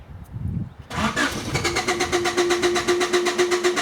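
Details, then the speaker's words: 1993 Honda Accord that dies when hot and won't restart: steady cranking about four beats a second, never catches; voltage-drop test shows good power and ground at the pump, so the fuel pump is bad. "Good power, good ground. This is a bad fuel pump, and I don't care if you put a new one in it or not."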